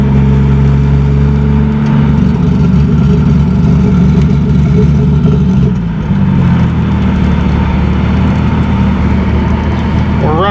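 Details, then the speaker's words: 2JZ-GE NA-T swapped Mk3 Toyota Supra after the misfire fix, on a full-boost pull with fuel low. A deep, steady engine drone pulls cleanly without breaking up, though it still tends to die at idle: normal acceleration under boost. "Hey, it didn't break up. Hey, there we go. Hey, heck yeah."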